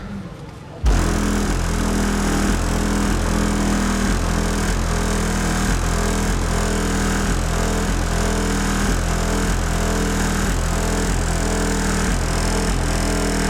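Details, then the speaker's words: 2005 Chevy Impala driving after a trunk rattle fix with felt pads: a steady road and engine drone with a faint loose tapping from the rear every second or two. The owner suspects the licence plate and uncaulked tabs under the bumper. "that sounds so much better majority of it is license plate and underneath the bumper where I haven't put any caulking yet"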